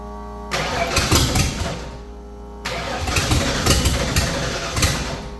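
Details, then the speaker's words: 1989 Ford Foxbody race car, start attempts with battery just hooked up: two cranking attempts with ragged, uneven firing that never settles; catches and dies, owner suspects insufficient fuel; fuel starvation. "you know what that feels like something it still seems like a fuel issue we're getting actual fire over it just sounds like it doesn't have enough fuel"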